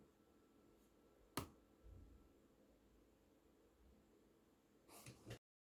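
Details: MacBook Pro 16-inch 2019: one sharp isolated crack, near silence, then faint ticks; creak from the case, owner presumes as laptop heats up after waking from sleep, unrelated to speaker issue; cause unconfirmed.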